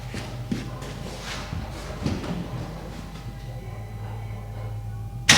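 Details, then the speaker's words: Mercedes C63 AMG V8, mic placed low near the car, not a true cold start as engine was slightly warm from earlier: catches and settles into deep, even V8 burble, no misses or knocks; healthy idle. "How insanely good does that sound? Such a nice, like, you know, V8 little rumble to it. I love it."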